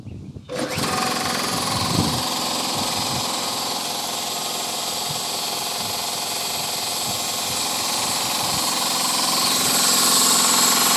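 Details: Secondhand air compressor, oil level uncertain, run briefly: fast steady pumping chatter with bright hiss, level rising as the tank fills; normal compressor running.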